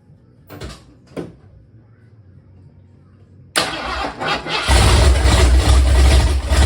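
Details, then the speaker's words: 1976 Mercury Monarch 347 stroker first start on a temporary distributor and wires, throttle not hooked up; short labored cranking bursts, then catches roughly and roars unevenly; ignition timing way too far advanced, retry with less timing. "okay it will run the timing is just way too far Advanced try again with less timing"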